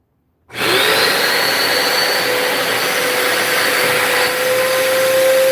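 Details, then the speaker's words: A Hoover Spin Scrub's brushroll gives a smooth, even motor whir with a steady mid tone and no surging or rubbing. It spins normally, though the brush needs cleaning. "Okay, that brush need cleaning. All right, so the brush is working. The brush is working."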